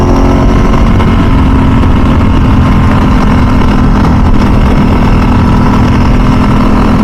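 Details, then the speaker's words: 2000 Ducati 996 SPS V-twin on its first ride after a full service, under way in mild Southern California weather: a loud, steady, deep rumble, smooth and even with no misses or knocks, sounding healthy. "Man, the sound of the exhaust is absolutely amazing. Absolutely amazing. It's like music to your ears."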